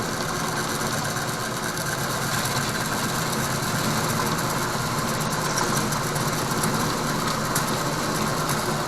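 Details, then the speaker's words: Harbor Freight Central Machinery 4x6 bandsaw with a newly added flood coolant system, taking a 1/16-inch cut off 2.5-inch bar stock. Steady even hiss and hum with a light continuous cutting rasp, no knocks or chatter; cutting smoothly. "so I have a chunk of a two and a half inch bar stock and since I don't want to waste a whole lot of material we're going to take like a sixteenth inch cut"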